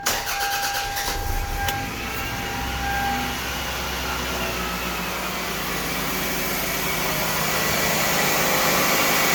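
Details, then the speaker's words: 1997 Toyota Camry with a replacement used 2.2-litre engine, very low mileage or recently rebuilt: quick crank catches at once into a smooth fast idle because it is cold, no rattles or misses; normal cold start. "It's cold, so it's idling fast because it's cold, but no rattles whatsoever. I mean, super smooth."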